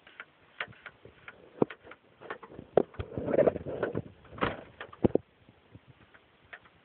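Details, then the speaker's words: 2011 Dodge Charger passive entry door handle after rain: quiet, irregular clicks and clunks as the door lock keeps firing by itself, because water has shorted out the passive entry handle. "like I said this is one of the the big problems you can actually hear the lock going"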